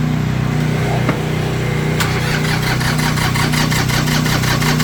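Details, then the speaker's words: Tractor diesel just after a cold-morning start, aided by a hair dryer blowing hot air into the intake as a temporary fix, idling lumpy with irregular firing knocks; the owner says the glow plugs, or one of them, are bad, so it runs rough until warm. "oh she's cold this morning boy don't like it but we're going to let it run keep running"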